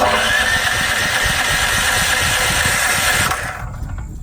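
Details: New Firman H05751 dual-fuel 5700 W generator, first start for break-in with synthetic oil, on choke: catches quickly, runs with a steady busy rhythm about three seconds then drops away; normal first start.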